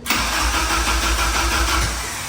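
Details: K24-swapped DC2 Integra, injectors unplugged, fuel primed to 45–50 psi: fast, even starter churn with regular compression pulses, no catching, spins freely with good compression; normal cranking.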